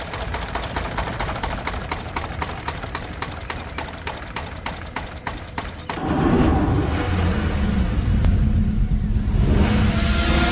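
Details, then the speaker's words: 3-cylinder petrol car with three ignition coils, one coil connection unplugged to deliberately disable a cylinder: uneven, lumpy idle with regular stumble and shaky rhythm, a dead-cylinder misfire causing power drop and engine vibration. "3 സിലിണ്ടറിൽ ഒരു സിലിണ്ടറിന്റെ connection വിടിച്ചിട്ട് വണ്ടി സ്റ്റാർട്ടാക്കി on ചെയ്ത് കാണിക്കുന്നു. സിലിണ്ടറിനെ താൽക്കാലികമായിട്ട് പ്രവർത്തനരഹിതമാക്കുകയാണ് ചെയ്യുന്നത്."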